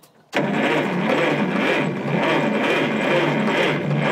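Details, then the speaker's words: Cleveland bucket wheel trencher (believed Model 75) with Buda HP217 engine, unstarted since 1977: starter turns it over at steady rhythmic churn, about three pulses a second, assisted by hand on the crank, never catching; cranks, no start. "Wow, we might not even have to take that starter off. No, I think it would start with that."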